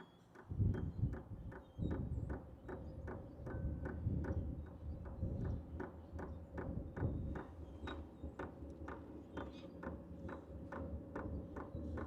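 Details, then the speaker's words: H-Calory diesel heater with a new replacement dosing pump, priming with the cover off: soft, even ticks about twice a second over a low fan hum. Much quieter than the original pump. "You are hearing a clicking noise, but it is a lot quieter than the original. And keep in mind, the shell is not even on yet."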